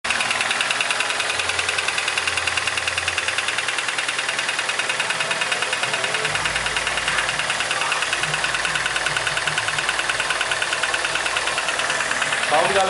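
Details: 2000 Chevrolet Corsa sedan, 1.0 8-valve, before camshaft replacement: quick, steady ticking about three per second rides over the idle from the top end. A worn camshaft is letting a lifter tap.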